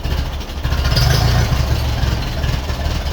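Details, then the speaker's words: 1951 Ferguson tractor after thermostat housing replacement, temperature gauge working: steady low, even chugging at idle with no knocks or misses, also runs on hand throttle; a clean, healthy idle. "Right, this is what it sounds like at idle now. That's all tightened up and right. And it works on the hand throttle now as well. And that's it, absolute idle. Very nice."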